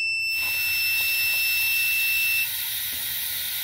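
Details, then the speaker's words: Steady high beep over rushing air from a homemade boost leak tester, cutting out after about two seconds at about 20 psi: an adjustable QPM11 NC boost cut pressure switch opens late, responding too slowly. "that was like 20 psi and you can hear it like hesitated for a couple seconds before it shut off so I don't know if I like that I don't know if it's responding fast enough"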